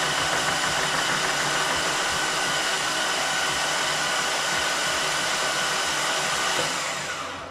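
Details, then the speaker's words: Volvo 5-cylinder swapped Miata cranked with injectors and coils unplugged and spark plugs out to build oil pressure: steady, even starter whirring with no knocks or grinding, reaching three bar oil pressure; normal cranking. "It made oil pressure. You could hear the uh the oil actually building pressure there."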